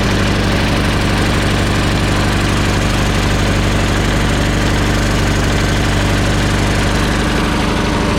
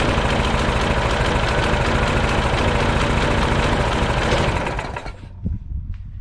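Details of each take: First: Old Troy Bilt mower with a Briggs & Stratton Quantum 4 HP engine, brought in for leaking gas. It starts on the third pull and smokes with the choke fully on from excess gas. It runs steady, then sags and stalls as soon as the choke is backed off, which points to a dirty carburetor. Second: Old Troy Bilt mulching mower with a Briggs & Stratton Quantum 4 HP engine, brought in for leaking gas and not running. It starts on a partial pull and runs strong and even, with quick steady firing and no stumble or surging, then cuts off. Healthy running.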